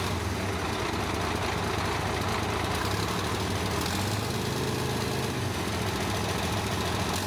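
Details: Caterpillar 977H loader, D333 diesel after cracked-head repair and reassembly, some air still in the system: settles into a steady, even idle with smooth low rumble, no misses or knocks.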